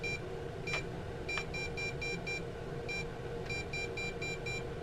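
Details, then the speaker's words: Bugs 3 drone with a version 2 board being bound to a version 1 transmitter. Thin high beeps repeat as one beep followed by a quick run of five; the board refuses to bind to the mismatched transmitter. "there you cannot even bind a version one transmitter to a version 2 board it just doesn't work"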